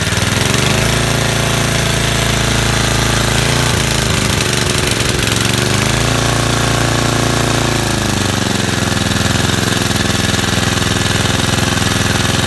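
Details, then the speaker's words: Vintage Cooper Klipper mower with an old points-ignition flathead Briggs, stored for years. It catches on choke and settles into a steady, rapid, even beat with no misses or knocks; runs clean. "but after all those years you see how smooth that runs"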